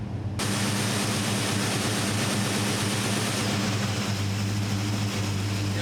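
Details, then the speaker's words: 1972 Chevrolet C10 with a newly installed Carb Cheater: with auto-tune switched off, the vacuum hiss from the valve bleeding air fades and the idle pitch drops back down; the engine is running very rich. "The truck go back down. Oh, this thing is so rich, so rich."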